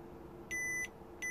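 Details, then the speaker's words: 2014 Volvo XC60 electric window fault B118E00; multimeter continuity test on a water-damaged window control circuit board track running to the relay leg; two clean high beeps, first long and second short, confirming the track is continuous. "So, let's going to check for continuity in there. That's the relay leg."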